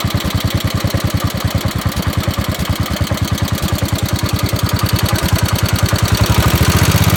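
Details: 1969 Gravely 432, Kohler K321 single-cylinder, first start after rebuild, sat about four years unused: idle thumping about three beats a second with an uneven putt now and then. Slight miss; owner suspects the points need cleaning, unconfirmed.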